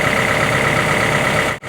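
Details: Warm CAT 313 excavator diesel at operating temperature, set to idle at its 1000-hour service while an oil sample is taken; loud, steady, even clatter with no knocks or misses, normal healthy idle.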